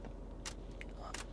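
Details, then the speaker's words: Refreshed Cadillac Escalade Platinum; short sharp creaks and squeaks in a quiet cabin as the plasticky wood-look dash trim is pressed by knee or hand, also over rough road; poorly fitted trim. "No car of this price point should squeak and creek as much as it does. right here. This trim piece just squeaks and caks."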